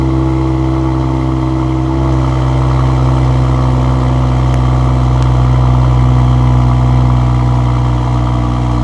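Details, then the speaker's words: Mercedes-AMG GLE53 first start after full engine rebuild, fires instantly with barely audible starter; steady, even note at smooth idle with light revving, no knocks or ticks; healthy engine. "Like I said, it's weird. You don't even hear the starter motor. It just fires up like clockwork. Boom. Pretty awesome."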